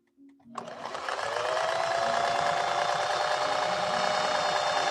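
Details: Restored 1961 Singer 401A sewing machine sewing with a Schmetz 90/14 universal needle and 100 silk thread: steady, even whirr with quick regular stitch beat and clean hum, not clanky as 401s often are; runs smooth and quiet.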